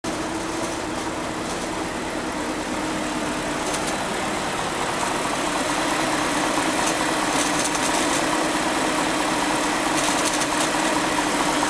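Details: 2004 BMW 545i automatic, N62 V8 petrol, idling with a steady hum and a faint irregular rattle that grows louder from about 8 seconds in; bad bearings are suspected, unconfirmed.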